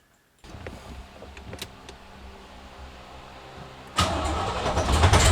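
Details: 1970 Corvette, first start after a six-month rebuild with AFR heads, Clay Smith cam, Johnston hydraulic roller lifters, Harland Sharp 1.5 rockers and new headers: quiet cranking, catches near four seconds, settles into strong even V8 rumble, no knocks or misses; normal start.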